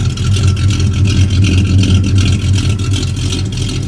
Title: Got the F-250 running again, just one more exhaust leak to fix.